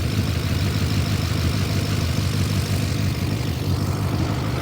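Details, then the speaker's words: BMW E39 540i six-speed V8, after refitting the missing EGR pipe, which cured the exhaust noise: deep steady idle with busy, clattery top-end chatter and no exhaust puff; loud valvetrain in the heads. "exhaust noise is gone now it's just loud heads which I mean what are you going to do right"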